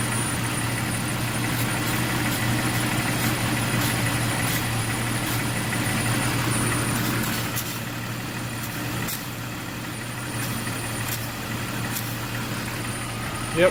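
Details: 2001 Jeep Cherokee idling with a thin, steady high-pitched whistle that changes and stops when the leak is covered; cracked vacuum line leak, found by spraying water, not the exhaust manifold as suspected.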